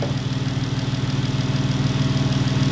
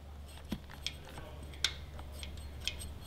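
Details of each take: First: Jeep 3.6 L Pentastar V6 after replacing a broken rocker arm that caused a valvetrain tick: smooth, even low idle with a steady pulse and no tick; the engine sounds healthy. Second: Jeep/Dodge 3.6 L Pentastar, engine off, valve cover removed to trace the tick: light finger taps on one rocker give sharp metallic clicks from side-to-side play, showing the faulty rocker/lifter.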